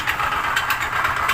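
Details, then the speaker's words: Honda Click 125 scooter idling with a loud, rough repeating knock; on teardown the connecting rod had excessive play on the crank pin, indicating a worn big-end bearing. "Ito po Honda Click 125 yan pagka ganito po Inabot po ng makina niyo ganito Kaingay panigurado po Medyo malaki-laki po ang gagastusin niyo at marami-raming piyesa po ang inyong papalitan"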